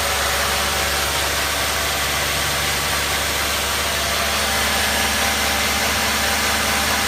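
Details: 2011 BMW E91 with N43 petrol engine, warm, at steady idle: a dense, hissy clatter over the even hum. Abnormal warm-engine noise, source not pinned down.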